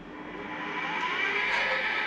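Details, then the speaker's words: Boat's newly installed radar scanner spinning up on transmit: a thin, rising whir with a faint rough edge; judged to be a worn bearing in the scanner needing replacement. "but that's positive that noise you can hear is a bearing we need to replace"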